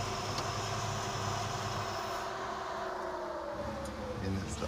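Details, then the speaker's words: Red Plymouth Duster V8 on a road trip, new noise at startup after an idle speed adjustment: a steady whine over the idle, its pitch sagging slightly as the revs settle, from a worn idler pulley bearing. "Idler oh that bearings junk yeah uh we better look at that cuz that's going to come off and be a disaster"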